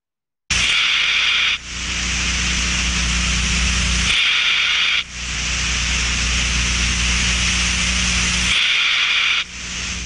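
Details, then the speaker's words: Steam trap checked by contact ultrasound on the steam side: rushing hiss swelling into a harsher burst about every four seconds, normal open-close cycling showing the trap works correctly. "czyli wiemy że oglądasz pracuje prawidłowo jak zwykle pracy otwarcia zamknięcia"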